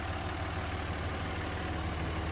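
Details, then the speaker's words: 2005 Dodge Ram 2500 with the 5.9L high-output Cummins turbo diesel, 109k miles, unmodified. Steady, even diesel clatter at idle with a deep low rumble and no knocks or misses; a healthy idle. "how smooth it sounds. There's no funky knocking or any of that stuff."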